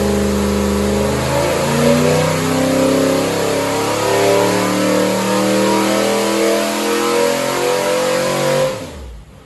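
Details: 1970 Ford 351C 4V V8 on dyno, pump gas, sub-10:1 compression, mild hydraulic roller cam, about 430 hp and 430 lb-ft, no leaks, clean oil filter: deep smooth V8 revving up and down with steady firing, no knocks or misses; normal revving.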